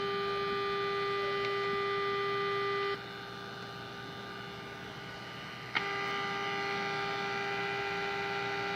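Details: 1946 Sears Silvertone radio model 132.818 after repair, before peaking the antenna tuning trimmer: mostly steady hum and faint whistles with hardly any station coming through; weak reception, poor sensitivity.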